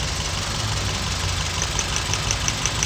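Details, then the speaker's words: 2007 Scion tC petrol engine idling rough and shaking with check-engine light; one ignition coil unplugged gives no spark sound and no engine change, showing it is the faulty coil causing the cylinder misfire. "está funcionando este no no se escucha nada ni el motor hace algún movimiento diferente entonces este es el que me está fallando"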